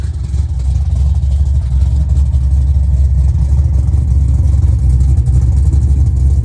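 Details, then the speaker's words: Restored 1970 Plymouth Road Runner V8 with Tremec 5-speed, finished restoration; deep, even rumble with a bit of lope at steady idle, no misses or knocks, exhaust not too loud. "And it's got a bit of a rump. And when you go down the road, the sound's not too bad. It's not too loud."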